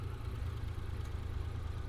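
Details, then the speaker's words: Daewoo Damas freshly converted to fuel injection with new ECU: smooth, even low rumble with steady beat and no knocks or misses; engine idles cleanly and healthy after the injector installation. "Xudo xolisa juda chiroyli holatda ishlab turibdi."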